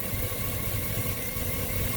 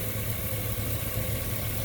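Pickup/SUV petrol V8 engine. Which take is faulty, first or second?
first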